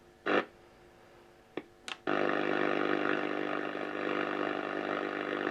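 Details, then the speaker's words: Unrestored 1950s valve radio switched on for the first time in decades: a couple of clicks, then a steady rough buzz with no station holding; stations drift off, owner suspects components changing with heat. "There you go. It's drifted off. It's gone now over there. So I think with the heat uh some of the components are changing and causing it was a me causing it to not be able"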